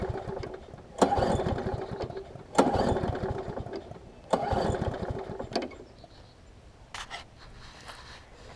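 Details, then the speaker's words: Craftsman big-wheel self-propelled push mower after new pull rope, primer bulb and air filter: engine catches in short bursts then sputters and fades; rough running from water in the fuel, water gets in when washed. "So you hear it struggling a little bit still. Because it got a little bit more water in it, but as y'all can hear, it runs pretty good."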